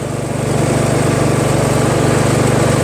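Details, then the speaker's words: Honda HRT216 Harmony II push mower after carburetor cleaning and a drilled-out carb hole: even, steady small-engine beat of about four pulses a second, with no rise and fall; the earlier low-idle surging is gone. "It's not surging because I drilled out the hole, right?"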